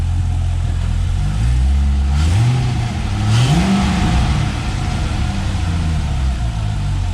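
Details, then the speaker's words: LS-swapped Jaguar XJ-S V8 with a custom-built exhaust, V-band clamp issue just fixed: a deep, even idle burble with one smooth rev and no puffing or ticking leak. Much quieter up top; the GoPro down low exaggerates the bass. Normal exhaust note. "the v-band issue so now it uh actually sounds okay i've started stopped it like multiple times tonight i'll just do it one more time much quieter up there now"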